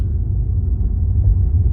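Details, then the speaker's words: Tesla Model 3 on a test drive over rough road after fixing a tapping rattle at the windshield-side front dash speaker: only low, even road rumble, no tapping or clicking; the dash is now quiet. No dash rattle. "You can see I have no more sound. No more clickety sound or tapping sound on my speaker."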